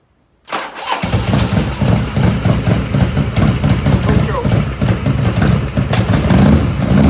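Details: 1985 Harley FXRS Evo started cold without choke, not yet at operating temperature: lumpy, chuffing idle with uneven beats, black smoke from exhaust; carbs running too rich, jets need dialing in.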